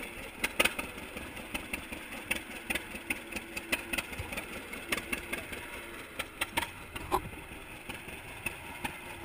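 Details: 1942 John Deere Unstyled A conversion whose engine was stuck, first start after fitting new spark plug wires: slow, loping, unevenly spaced pops at a quiet idle, firing cleanly without misses or rattles; a normal idle.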